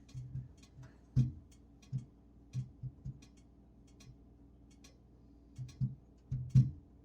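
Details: Budget PID upgrade of a kitchen oven, bake element warming up after convection test: soft uneven ticks and dull pops in small clusters, ordinary expansion noise; normal heating ticks.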